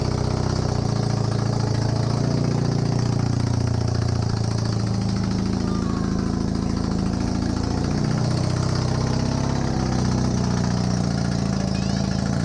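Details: Honda CB250N Superdream twin project bike with new spark plugs, on part choke, powered from another bike's battery. A low, steady idle settling in, slightly lumpy but holding without stalling. Normal idle; large oil leak at the engine front.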